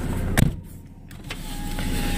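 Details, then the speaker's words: 2002/2003 Dodge Neon ES: a door thump, then a thin, steady electric motor hum as the glass travels smoothly; the power window works normally. "Got cubby holes over here in the door, and this is what I really love. This is great. Power windows."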